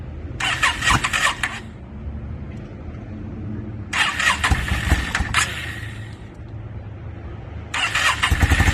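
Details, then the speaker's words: 2002 Yamaha V-Star 650 V-twin, newly bought, possibly needing a full tune-up, on choke, rusty gas tank; three cranking bursts of one to two seconds, never catching. Hard starting, owner suspects flooding. "probably flooded it out and all kinds of stuff. I was just real anxious to hear it start, which I did get it running for a second, which you guys will see, but I'm pretty sure I flooded it out."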